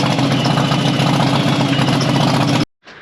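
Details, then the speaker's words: 1983 Yamaha XV750 twin, bought not running, first start: lumpy uneven beat that stumbles and cuts out; owner suspects leaky, overflowing carburetors flooding cylinders with petrol (hydraulic), planning carb rebuild. "oh that sounds like hydraulic must have leaky carbs hmm that could be my problem actually okay let me fix this running but not very well"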